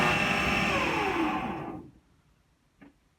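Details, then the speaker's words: AEG Lavatherm T56800 tumble dryer: the motor hums as it powers up, then cuts out to silence within about two seconds. The cause is unknown. "so it sounds like it's powering up and then it just dies"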